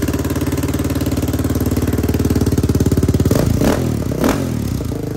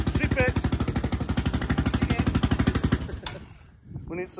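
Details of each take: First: Yamaha Raptor 660R single-cylinder ATV with a new top end, adjusted valves, new battery and no air filter. Steady, even thump at idle echoing off a tree, then clean throttle blips that rise and settle crisply; normal idle and revving. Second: Yamaha Raptor 660R single-cylinder ATV after top-end work, fed fuel by funnel. Fast, sharp puffing pops on every firing stroke; exhaust leak because the small copper exhaust gaskets are missing.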